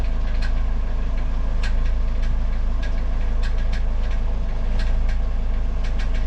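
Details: Car engine with 200,000 km that uses no oil, knocking since the gearbox/CVT was replaced: sharp metallic ticks hit irregularly over a smooth low idle; the starter gear is striking the flywheel teeth, not an internal knock.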